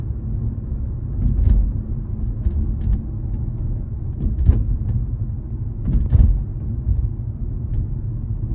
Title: G20 M340i metallic clicking noise from trunk area